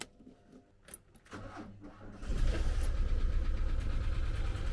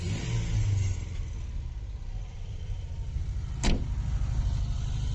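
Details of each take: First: 1985 VW T25 camper non-runner, carburetted, sparking down low: weak uneven cranking about two seconds before catching into a rough idle; owner suspects a power problem causing hard starting. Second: VW T25 camper, after valve adjustment screws set to cure tapping and carburettor blown clean with inline filter added: steady even idle, no valvetrain tapping, runs smoothly.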